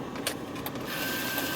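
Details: 1995 Mercedes S500 W140 V8 power seat adjusters: a few clicks, then a steady whirring hum holds even while the seat moves; seat motor runs smoothly without straining.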